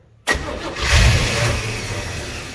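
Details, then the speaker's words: 1958 GMC 4x4 truck, with fuel reaching the filter and brake cleaner sprayed in, cranks and briefly fires with a rough surge that never idles; hard starting, owner suspects a gunked carburetor. "Well, looks like I'll have to pull the carburetor off, clean it out. Probably got a bunch of gunk in there."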